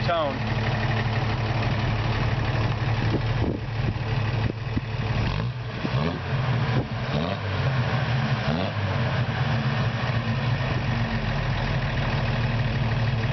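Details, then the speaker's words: 1973 Toyota FJ55 Land Cruiser settles after start-up into a steady low, even idle with no misses or knocks, after new parts and a new alternator. "And it runs really good. Here, I'll start it up for you real quick."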